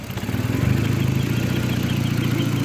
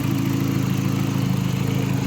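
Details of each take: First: VW Mk4 after battery relocation to the trunk, known vacuum leak: engine climbs briefly after starting, then settles into a steady, even low idle pulse with no stumbles; running fine. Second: VW Mk4 after battery relocation to trunk: low, lumpy idle with a slightly uneven beat, no clear knock; owner attributes the rough running to a vacuum leak still present.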